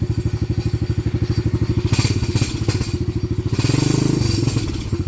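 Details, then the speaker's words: Venom 125 quad single-cylinder, just started, old black oil, banging and missing before; plug checked: uneven, stumbling thumping with irregular gaps and surges, rough-running misfire. Owner suspects the carburetor or the fuel pump filter, or that it needs to warm up. "good okay so there's something more to it than just a spark plug carburetor maybe again or the fuel pump filter may be"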